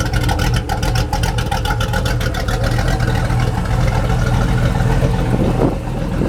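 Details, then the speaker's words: Mercruiser 383 Magnum stroker multi-port injected marine engine, under 40 hours, at idle: smooth steady rumble with light, quick even ticking from fuel injectors; healthy, runs like new. "just like you would expect it just runs like a brand new motor the only thing you can hear clicking is a little click of the fuel injector the only thing you can hear in this motor anywhere she's a real good motor"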